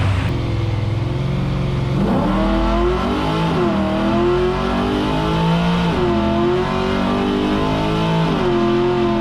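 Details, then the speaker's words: LS-swapped Chevrolet Impala V8 on Holley Terminator X tuning, full-throttle run through gears: strong even rising roar, clean drops at each shift, no misfire; sounded and felt really good, shift points still to verify. "all right that sounded and felt really good i just got to verify my shift points and we should be good"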